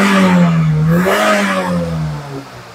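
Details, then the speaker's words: Kembara VVT (K3 engine) after repair of black smoke and hesitation, exhaust cleaned, IAC still needs cleaning: revs up smoothly and eases back evenly without misses or knocks; normal revving. "Tengok RPM tuh. Sedap kah tidak, ringan kah tidak kereta tuh."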